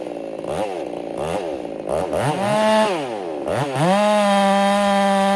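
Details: Ported Husqvarna 385 chainsaw during break-in, tune slightly rich, in very hard oak: a strong high scream bogs slightly entering the cut then holds steady revs, clean and crisp.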